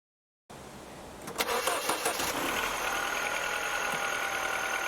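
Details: 2007 Mini One 1.4 N12 Valvetronic petrol, which hunted at idle on cold start, after replacing the Valvetronic solenoids; starts after a short crank and settles to a steady idle just above 1,000 rpm with no hunting; normal idle.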